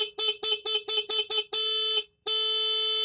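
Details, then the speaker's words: Homemade cheap motorcycle alarm, ignition key switched on then off, leaving only the horn working: six quick bright toots, then two long steady clean blasts; normal horn operation. "Nah, kalau adanya apa kita matikan otomatis yang berfungsi cuman klakson"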